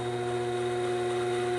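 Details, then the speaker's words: Grizzly G0781 mill after belt drive conversion, at low RPM under load: steady fixed-pitch electrical buzz as the motor draws more amps; hard to bog down, normal. "okay yep it starts drawing more amps in it you can hear it buzzing yep oh yeah you can't"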